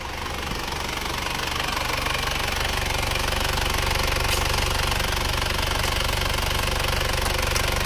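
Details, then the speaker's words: Isuzu Panther Touring diesel, rebuilt again after a year when a non-original cylinder 2 liner cracked, now refitted with original liners: even, steady diesel clatter at idle, no heavy knock, exhaust smoke-free; normal diesel idle. "suara mesinnya sudah halus Mari kita gas asap knalpotnya sudah bersih banget nggak ada asapnya"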